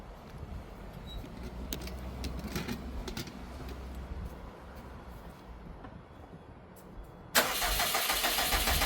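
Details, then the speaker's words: 2012 Subaru STI hatch on its first start after an engine rebuild, having not run for 9 years: a loud, harsh, raspy blat like a weed eater, from exhaust blowing out of the open O2 sensor port. "What the O2 sensor? Oh, that's right. Sounds like a [ __ ] weed eater. That's right. I forgot about I'm like there's a huge gaping warrior."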